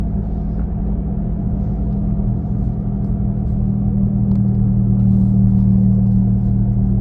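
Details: 2017 Nissan Leaf while driving, louder between 40–50 km/h but present at other speeds: constant low droning rumble and steady hum from the rear, like a gasoline engine; cause unknown, owner asks whether it is normal.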